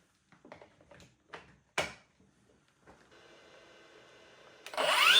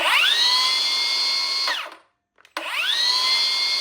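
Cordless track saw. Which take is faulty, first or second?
first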